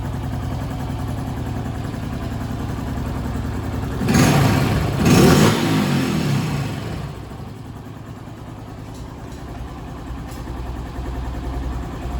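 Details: Honda Pop after an oil change where the wrong bolt was removed and refitted correctly: even idle, two smooth throttle blips, then a steady settle with no rattle from the top end; the engine noise is gone.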